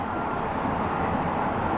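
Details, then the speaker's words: Brand-new Bones Reds ceramic skateboard bearings: smooth, even whirring hiss, constant with no grit or clicking. Healthy bearing spin. "If you can listen to the difference, these are brand new, so you're not going to have a lot of stuff in there, but these things actually repair themselves as you go."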